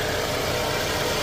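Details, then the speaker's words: Scion xB small petrol engine idling after an engine flush, oil change and Liqui Moly anti-friction additive; close, steady, even hum with no ticking or knocking, noticeably quieter than before; normal idle. "everything seems to be running good the motor is a lot quieter um hopefully that will um protect the motor from all the damage I've done to it"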